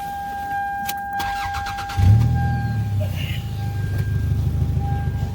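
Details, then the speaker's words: 1997 Camry: starter cranks, engine catches and settles into a loud, deep, uneven idle with a throaty sputter; exhaust leak, shop says new muffler and exhaust gasket needed. "new muffler and exhaust gasket due to an exhaust leak let me start it up so you can hear that sound it it is pretty bad"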